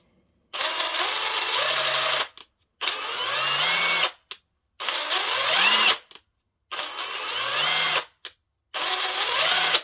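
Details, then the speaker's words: Parkside Performance PASSP 20 Li A2 cordless impact wrench: five short trigger bursts rising in speed, with a slightly raspy hammering rattle at low speed from the impact mechanism, unlike the A1 version; many owners report the same. "Je počuť, že rázový úťahovák pri nízkych otáčkach má trošku chraplavý prejav. Ten zvuk vychádza z úderového mechanizmu."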